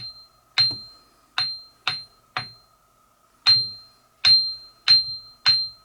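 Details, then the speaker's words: Ring test on Craftsman 1/3 HP bench grinder wheels: sharp taps each give a clear, bell-like high ring, meaning wheels are uncracked and need no replacement. "hold so both of those Wheels ringed just fine uh if they had cracks in them they would have a dead sound to them which they didn't they ring so we don't have to replace them"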